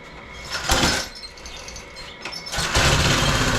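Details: Roadside-found lawn mower engine for the Tommy Gun mini bike (carburetor gummy, may need replacing): rough patter picks up to a steady, rising buzz as revved; running properly.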